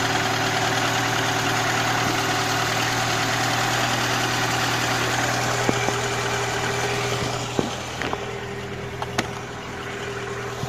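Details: IZh-2126 Oda on a cold morning start after sitting: steady knock around three per second over the engine hum at cold idle; source not pinned down, owner asking what it could be.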